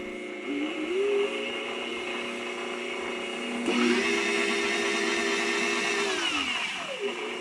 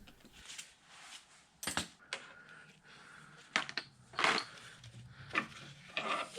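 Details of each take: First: Bridgeport mill 6F power feed after fitting a new gear and ISO 150 gear oil: clean motor whine rising, holding steady and winding down, no clicks or grinding; normal, smooth power feed gear drive. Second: Bridgeport mill 6F power feed, handle and driven side of clutch removed for diagnosis: irregular sharp clacks and crunches every second or two over a quiet feed motor; sounds like the pinion jumping teeth on the spiroid gear.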